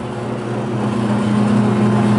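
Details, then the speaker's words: Hobart MG2032 mixer grinder, 8.5 hp three-phase motor, mix and grind with auger and paddles turning: even motor hum with steady gear tone firming slightly under load, no grinding or clunks; runs very smooth. "you can see the auger turning and the paddles turning at the same time so there it is running very smooth"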